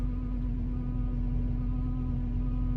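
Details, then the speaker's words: Volvo 240 that sat 6–7 years and blows smoke, heard after a drive: a constant low droning hum over a quiet idle that does not follow engine speed; noisy fuel pump that needs replacing. "Well, that's fuel pump. Guess what, guys? It needs a fuel pump."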